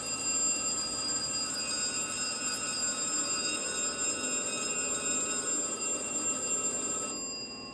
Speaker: when these contacts are closed the alarm circuit is activated lighting a lamp and sounding a bell